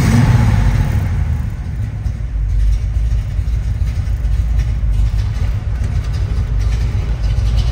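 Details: 1969 Pontiac Firebird Trans Am replica, restored, rebuilt 455ci V8 with no. 96 heads, Edelbrock intake, 4bbl carburetor, stock Pontiac exhaust manifolds, Super T10 4-speed: deep steady rumble with throttle blips rising and settling cleanly, no knocks or misses; normal idle and revs.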